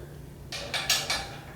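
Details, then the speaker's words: Riley Hopkins screen printer print head after cleaning and lubing, spun by hand: four light quick clicks as the head passes each stop without catching; detent switch is extremely soft, barely felt; weak detent. "you hear that? Just passes right on by. It'd be nice if it kinda halfway stopped it there at slow speeds."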